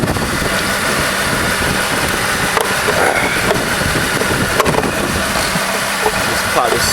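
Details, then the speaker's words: 2003–2004 Mercedes-Benz C230 Kompressor with cylinder 4 misfire code: loud uneven lumpy, stumbling idle, running really rough; fuel injector on cylinder 4 blamed and replaced. "It's uh but it's it's running really rough."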